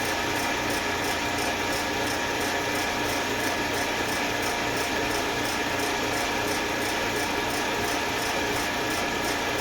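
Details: Eastwood Elite QST 30/60 scroll air compressor after replacing the failed pressure switch, which had never cut out and popped the 30 A breaker: building early pressure toward the 145 psi cutoff, steady hum with fine fast ticking; normal running.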